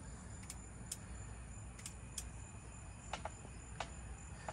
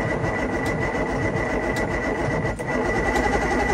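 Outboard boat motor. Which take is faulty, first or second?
first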